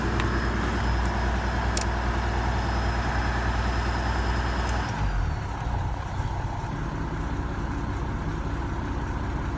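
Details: Toyota Land Cruiser HDJ81 diesel with rough idle and smoke; low uneven lumpy beat about three pulses a second that never settles; rough idle.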